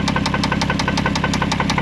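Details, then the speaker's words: A 2002 Toyota Solara with no check-engine light has a sharp, even knock about six times a second at idle, recorded with the engine cover off and loudest at the rear cylinders. A fuel injector is suspected; the cause is unconfirmed. "so I took the spell cover the engine cover out this thing knocking coming from the engine yeah could be a lot of things"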